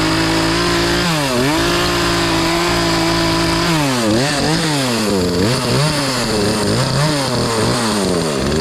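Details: Poulan Pro PP4218A 42cc two-stroke chainsaw after chain replacement, warming up after choke start: buzz climbs and drops with each throttle blip, clean and responsive between steady idle stretches; runs healthy.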